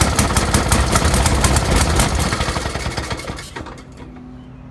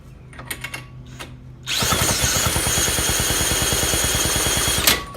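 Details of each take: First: 1916–1918 Maytag 1/2 hp single-cylinder engine, first start in years after flooding, with the air mixture being adjusted: fast, fairly even sharp popping near three beats a second, fading as it slows; firing normally. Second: 1916–1918 Maytag 1/2 hp engine, first run in about three years: it barks into a fast, steady popping run for about three seconds, then cuts out. It flooded with fuel gushing out because the fuel setting had been closed right off.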